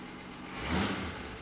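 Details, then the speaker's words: 1963 Ford Econoline pickup, cold start in neutral after a couple of pedal pumps, with the choke not yet engaging. It catches with a rising surge, then sags and won't settle; a tap later brings the choke on. Cold start without choke. "give it a couple of pumps make sure I'm in neutral it goes it's not on not on the choke's not working yet"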